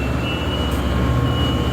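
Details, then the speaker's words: Rebuilt Clipper 4x6 bucket elevator with brand-new 2 hp single-phase electric motor, serviced gearbox, repacked bearings, relagged head pulley, after about an hour running: steady hum, faint constant high whine, smooth drone, no knocking or grinding; normal running. "All right, we have the unit hooked up to power. Fires right up, starts strong, runs strong. We've had it running for about an hour."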